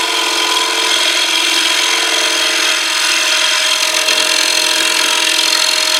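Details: Wood lathe turning a box elder platter about 9 inches across with a shear cut: a steady, even hiss of the tool with no chatter or squeal. A clean cut.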